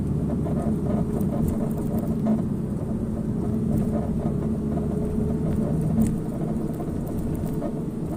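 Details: Porsche 987 Cayman driving over rough pavement: dull rumble with faint scratchy creaks coming and going from the front right suspension, recently started; cause not yet found.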